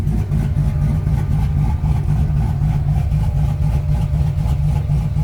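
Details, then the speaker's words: Turbo 5.3 V8 truck at hot idle after about 30 minutes running: deep even burble, no ticking or knocking; earlier noise gone, oil pressure drops to 20 at hot idle, high-pressure oil pump planned. "Well, it's been running about 30 minutes, and I don't hear nothing. I don't know what that was."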